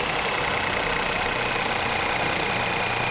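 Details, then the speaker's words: Ford Ka 1.0 12V three-cylinder after repair of lifter knocking, misfire and lack of power, microphone close to engine: even, steady idle with no tapping or misfire, runs clean and healthy; normal idle. "Vocês viram no começo de vidro do vídeo aquela bateção que tava feio olha aí ó ó o show de bola né agora tá novo de novo praticamente"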